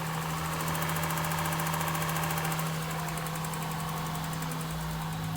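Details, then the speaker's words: 2002 Acura 3.2 TL V6, about 240,000, first start after a snapped timing belt and new belt, idling with a quick light ticking of 3–4 per second. It smells and sounds like an exhaust leak, with no misfire; a valve adjustment would probably be recommended. "There's definitely an exhaust leak. Sounds like an exhaust leak. Smells like exhaust leak."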